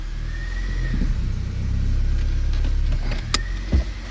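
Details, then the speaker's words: 2007 Honda Fit 1.5 after a fix for rough idle and cold stalling (no check engine light): put in gear, it holds a steady, even low idle without stumbling or dying, brief chirp and clicks; normal idle in gear. "Goes into gear. still stays up. Before when we put this thing in gear, it would go putt, putt, put putt and die when it was cold."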